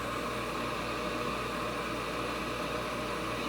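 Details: Old Coleman gas furnace starting up after blower capacitor replacement, doors back on; even, steady rush of air over a low hum with no buzzing, clicking or labouring, so the blower runs normally.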